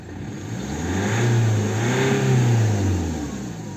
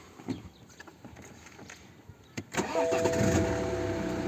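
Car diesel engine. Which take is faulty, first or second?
second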